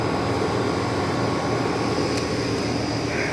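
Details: Used 2007 5-ton Trane XB13 central air conditioner, recent install, scroll compressor (possibly Alliance), starting up: steady low hum with an even whir, no knocking or rattling. Normal scroll compressor running.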